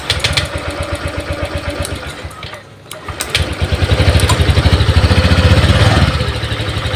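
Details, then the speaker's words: Honda Vario 125 LED scooter with MIL code 12: engine putters at idle but dies when throttle opened, sags then picks up unevenly; fuel pump hums weakly, battery 12.7 V, intermittent weak power to injector and pump suspected. "sini hidup Ya teman-teman tapi kalau digas mati depan lagi mati"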